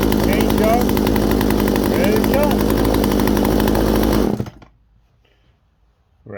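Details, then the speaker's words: Poulan 18-inch 42cc two-stroke chainsaw, used, restarted after repair and taken off the table: strong even buzz at steady revs, then cut off; runs cleanly with no misfire or bogging, runs good. "Well, it's hard to start this up on the table. I'll take it off. Yeah, runs good."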